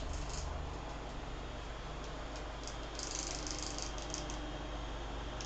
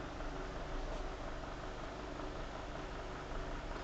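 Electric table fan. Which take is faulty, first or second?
first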